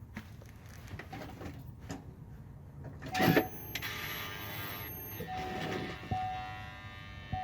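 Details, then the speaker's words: 2009 GMC Envoy stuck in 4x4, switching from Auto to 2WD: transfer case encoder motor whirs and clicks in bursts, trying to shift then giving up and reverting to 4-high; failing encoder motor, fixed by replacing it. "you can hear it actually trying to go when I think the actual encoder inside there isn't that seeing that it actually is switching"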